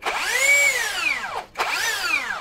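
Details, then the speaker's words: Rebranded low-cost brushless drill before repair: rotation is heavy because the rotor rubs the stator, which can ruin the module if forced. Two trigger pulls give a whine that climbs then drops off, sounding rough and laboured. "jadi ini putarannya berat Kenapa berat karena bergesekan antara Rotor dan stator yang kalau dipaksakan itu akan merusak modul jadi kalau kalau power itu Anda brushless terus suaranya aneh seperti ini kasar"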